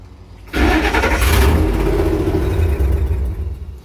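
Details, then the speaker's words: 1954 International pickup during wiring tests with a passive anti-theft system module fitted: the engine cranks, catches, runs briefly, then dies repeatedly. Owner first suspected fuel pressure. "you see it's dying over and over again it might just be a fuel pressure issue might just have to build it up no it keeps dying"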